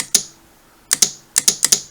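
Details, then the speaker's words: DIY battery-tab spot welder pen with trigger switch remounted on a hardwood piece after the original plastic mount deformed from heat: crisp sharp clicks, single then quick pairs, clean positive presses; switch working properly. "you can hear the clicking. So when I push that, it's going to weld."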